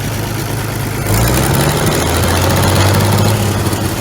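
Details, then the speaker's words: 1950s Roller revived from scrap, running after throttle adjustment and coolant refill: low, even chugging settling into steady idle after brief throttle change, no knocks or misfires; normal idle. "we figured out the throttle situation got her tamed down a bit I cannot believe how good this thing is actually running"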